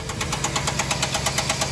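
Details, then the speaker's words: 2010 Chevrolet Silverado 1500, 5.3L V8 with AFM, running rough. Loud, sharp top-end tapping at idle, about eight or nine ticks a second, with occasional loud pops from one side. Teardown found a seized AFM roller lifter and a damaged camshaft; an AFM/DOD delete kit was chosen as the fix. "is making a really loud tapping noise and i don't know if you guys heard that but every now and then there's a really loud pop and it sounds to me like it's coming from this side of the engine"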